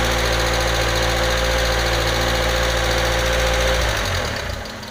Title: MAF Vacuum Leak